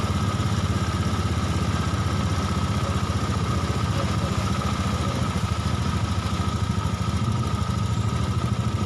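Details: Honda Beat Eco injected scooter with a high fuel use complaint, idling after the fuel filter and pump service, with idle set to 1600-1700 rpm, an even, quick, perfectly steady beat with no misses or hunting; normal idle.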